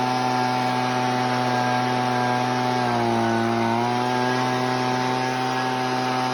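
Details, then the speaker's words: Husqvarna 125B two-stroke carburetor tuning, screw turned a quarter turn left then right: high-revving scream sags and burbles for a second then recovers; four-stroking from rich mixture that goes away when screw turned right. "I'll turn it quarter turn to left you'll hear it four stroke I'll turn it quarter turn to the right you'll hear the four stroke and go away"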